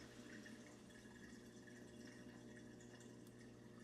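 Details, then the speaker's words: GE dishwasher drain pump activated during preventive maintenance, draining about 70 seconds through the garbage disposal into the sink: steady pump hum with strong rush of water hitting the wall; pump moving water normally. "So now we want to come over here and just kind of listen as the water comes out of the dishwasher through the garbage disposal into the sink."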